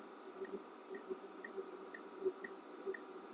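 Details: Diesel heater with a thermocouple probe in the burn chamber and an oil tank: quiet, light ticking about twice a second with nothing deeper behind it; an odd noise, cause not identified.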